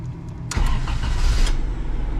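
Engine catches almost at once with a short burst, then settles into a low, steady, even idle: a clean, healthy start.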